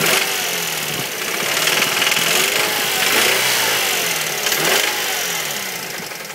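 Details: 2006 Mazda 3 SP23, 105,000 km, fully serviced: irregular deep knocking about three times a second with lighter ticking on top, louder as revs rise; began near 80,000 km and worsening; owner highly suspects No1 cylinder big end bearing, unconfirmed.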